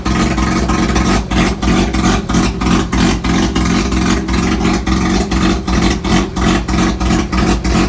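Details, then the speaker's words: Mazda RX-3 rotary brought up to operating temperature with a straight-through exhaust and no mufflers. A loud, raw, brappy exhaust note, blipped repeatedly and returning cleanly. Runs healthy, just very loud. "the exhaust is basically straight out it runs straight out and dumpster only the driver said there's no mufflers no nothing on so it's pretty pretty loud"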